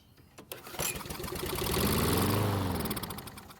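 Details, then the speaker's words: Stolen-and-recovered John Deere mower with fuel poured into the carb. After a few pulls it catches and revs for about three seconds, then fades and stalls; spark and compression present, fuel or carb issue suspected. "so the good news is that it started and ran for a few seconds so we know the engine has spark and compression but the bad news is that it didn't stay running on the fuel that's inside the carb"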